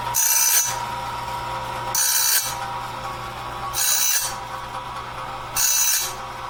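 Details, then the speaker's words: Clarke heavy-duty sawmill blade sharpener on its first run, doing the first sharpening of a 2-inch-wide, 223-inch bandsaw blade at slow speed, wheel lightly touching each tooth; short hissing grinds about every two seconds over a low motor hum, normal sharpening. "And so I'm just going to use the settings I've got here. Very first sharpening of this blade. I'm just touching the toothpaste."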